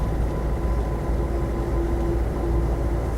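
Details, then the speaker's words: Land Rover Defender 90 CSW 300Tdi diesel, driving under load: a thin faint whine above diesel drone and road rumble that stops when backing off, so not tyres. Minor transmission whine, possibly gearbox, transfer box or a diff. "um you do get a slight wind from the transmission could be from the uh gear box or the transfer box or one of the diffs really but it's really really minor but it is there"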